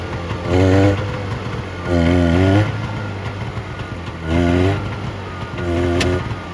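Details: 1970 Subaru Sambar pickup off the road for 40 years, first run after loosening the distributor to add timing advance (timing or points suspected off); steady idle, then four clean, quick throttle blips rising and falling evenly: runs fine.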